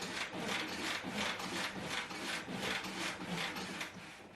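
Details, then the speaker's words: Mercedes ML55 AMG W163 original front shock, pretty shot, body pushed by hand before upgrade: rhythmic creaking, rubbing squish with each push, nearly three a second, body bouncing around; worn leaking shock absorber. "so if you hear the shocks are making a horrible noise they kind of bounce all over and i'm guaranteed that's not how they're supposed to be"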